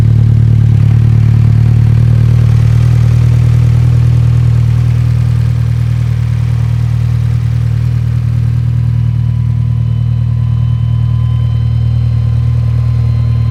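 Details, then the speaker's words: Mitsubishi Evo 10; deep idle with uneven, lumpy beat about three pulses a second that never settles, running rough; owner suspects heat, cause not confirmed. "Maybe it's just super warm and that's why it's running funny."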